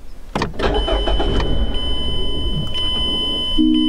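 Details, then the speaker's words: 2013 Mazda 3 Skyactiv 2.0 L, no trouble codes, strong crank. It catches and fires, then runs unevenly and dies. Disconnecting the mass airflow sensor let it run, so the MAF was faulty. "so it tries to start but then it dies so because it's cranking pretty easily that tells me it's not the battery"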